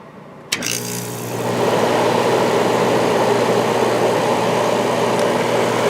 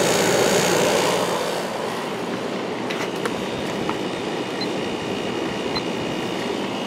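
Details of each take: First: 1994 White Westinghouse 5,200 BTU air conditioner with Goldstar compressor and shaded-pole fan; after a click the compressor starts into a smooth low hum with mains buzz, 4.5 A, 426 W, very quiet; normal compressor running. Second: 1994 White Westinghouse 5,200 BTU air conditioner with Goldstar compressor, drawing about 3.9 A on low fan: steady loud rushing hum and mechanical drone after sitting unused, quietening after a few minutes; loud compressor after sitting.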